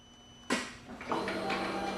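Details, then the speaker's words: Motorcycle with low battery: screen turns on, but pressing the start button gives a click and brief fuel-pump priming whir, and the starter never turns over: no crank due to low battery. "could hear the the priming of the fuel that's what you hear there but yet the bike doesn't want to start then the reason that's happened is because the battery is low again"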